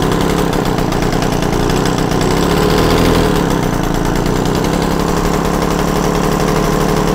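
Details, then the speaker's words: Yamaha TZR 250 3XV two-stroke twin, warmed up, one spark plug removed so only one cylinder fires while its idle and air screws are set to fix carb imbalance (that side ran cooler); fast, rattly, thin uneven popping at raised idle, to be reset to 1500 rpm. "I think that'll do just roughly set up now I've got to put the other spark plug back in and just reset the idles um back to more reasonable 1500"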